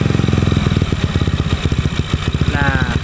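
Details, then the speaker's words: Honda Beat carburetor fitted with PE24 CPO carb, air screw turned in during idle tuning: firing pulses turn uneven and sag near stall; air screw shut too far, leaning the idle mixture. "mau mati nih mesin nih kalau udah mau mati baru kita putar"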